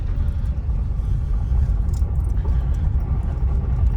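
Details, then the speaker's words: Citroen C4 Sebastien Loeb edition after a Bilstein shock upgrade, driven slowly on full steering lock over rough ground: low even road rumble with no suspension knocks. Drop links are good; anti-roll bar D-bushes still give a slight vibration or rattle. "Suspension's quiet that way. Scott had this cleaned as well, he's going to go nuts because I'm making it dirty. There's no suspension knocks on full lock and we're on quite rough ground here."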